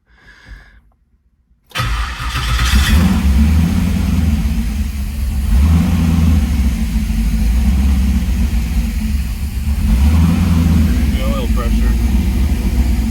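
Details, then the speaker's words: 1978 Trans Am SE with LSX/LS6 swap and FiTech, second start after adding ATF to transmission, tach and oil pressure gauge working: cranks and catches quickly, steady even idle with smooth throttle blips, no knocking; healthy V8. "Alright, I'm gonna turn it off. That's amazing. It started. It sounds good. I think it's alive."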